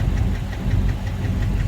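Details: Dodge Charger SRT Hellcat at idle: sharp, regular knock about 5–6 per second over a deep rumble. No power at quarter throttle in 707 mode, no kick-down. Owner suspects the supercharger or transmission, unsure.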